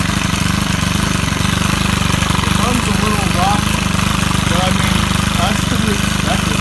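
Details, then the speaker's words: Stihl KM130R four-stroke trimmer running warm after broken valve repair and high/low carb adjustment, slight valve seat damage, no fuel in the primer bulb: steady quick even putter, no misses or stumbles. "now that it's running and runs pretty well I'm not going to try to mess with it anymore I don't think because it's running good it's obviously warm"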